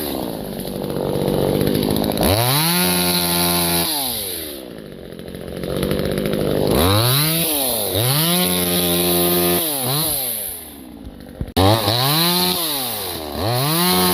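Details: New Vevor 12-inch 25.4cc top-handle gas chainsaw under load: revs to a high scream, bogs slightly in the cut, then recovers in repeated strokes; strong, clean running.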